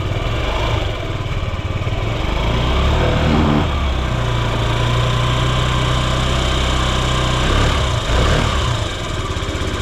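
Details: Yamaha Gear scooter (UA08A-0315) running check: single-cylinder putters evenly at idle with a brief throttle blip, no knocks or rattles; quiet, healthy engine.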